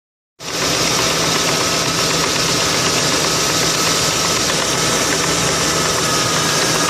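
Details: 2002 Ford Crown Vic P71 V8 idling with a fast, light metallic tick that lags slightly behind the revs. The broken plastic PCV oil baffle was flapping against the cam lobes.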